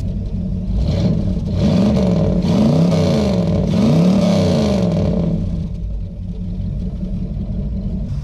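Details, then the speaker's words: 1969 Lincoln Continental Ford 460 V8 after replacing a bad oil pressure switch: a deep rumble climbs and falls cleanly through several blips and settles to a steady idle, so the engine revs normally; exhaust is also leaking smoke into the body area, mufflers need work. "well great news turns out it was just a bad oil pressure switch so it turns out the lincoln is okay who wants to hear the symphony the 460 symphony"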